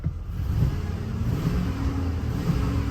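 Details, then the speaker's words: 2005 Chevy Silverado 1500 V8 after replacing a fuel injector while chasing misfires: steady, even low rumble with no stumbles, no longer misfiring and idling much better; smooth idle. "so it's running uh it doesn't seem to be misfiring anymore it's idling a whole lot better"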